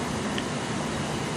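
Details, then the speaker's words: Engine idling after a system reset with no check engine light, before fully warmed up: a steady, even idle with a low, smooth hum and no knocks, misses or surging. Normal idle. "If you notice, the vehicle is running smooth."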